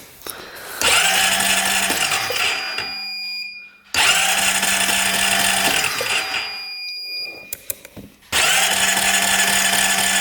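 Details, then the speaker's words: 2008 Honda Rancher 420 ATV with no spark, cranked during a pickup-coil voltage test: three bursts of a couple of seconds each, steady starter whine, no firing; cranks but no start. Cause unconfirmed; the new ignition coil is suspected. "we'll crank over the engine as fast as we can see what [Music] happens yeah I don't think it's going work"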